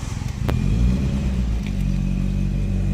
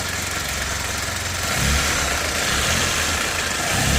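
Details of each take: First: Nissan Primera P10 1.6L GA16DS carbureted 97 hp, cold: engine held on a steady fast idle by constant throttle, rough low drone; stalls without throttle, smokes; damaged valve admitting air found as cause, not autochoke. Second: Nissan Primera P10 1.6L GA16DS carbureted 97 hp, engine warm: steady even hum with gentle low pulse, no knocks or misses; normal warm idle; cold-start stalling blamed on a damaged valve, not the autochoke.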